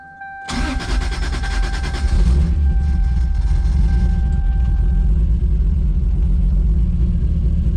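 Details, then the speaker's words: Built 2JZ-GTE in a 1995 Supra on Pro EFI, after swapping coil and plugs: lumpy uneven running with a repeating stumble; one cylinder dead. "All right, we swapped the coil and the plugs. Put the non-firing plug in the second hole and switch the coil around, so we'll see what happens here."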